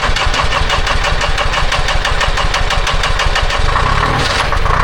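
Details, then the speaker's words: Telehandler with Detroit Diesel 353 two-stroke after fuel filter change, sat a couple weeks, 60°F morning: catches quickly into strong even beat about three pulses a second, no ether needed; normal cold start. "It's uh only 60° this morning for a machine that has always needed ether to start. We're making very good improvements."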